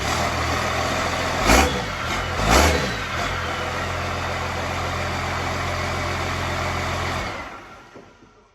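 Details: Engine running: steady, even diesel clatter with a couple of blips, holding smooth until shutdown. Normal, healthy diesel running.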